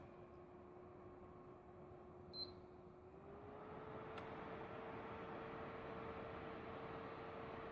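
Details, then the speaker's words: 60GB PlayStation 3 with yellow light fault, being tested after a heat reflow repair and reassembly: a steady cooling fan whir climbs clearly in pitch and volume, so it was shut off quickly; likely overheating. "okay one more time tonight it's look ok as well so that's good but you can hear it speeding up"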